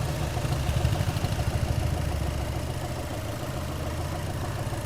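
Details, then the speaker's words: Skoda Fabia diesel at idle: even, subdued low thrum with no knock or clatter; engine now quiet and running smoothly before blow-by check. "चलो भाई भाई engine पूरा गूंगा कर दिया।"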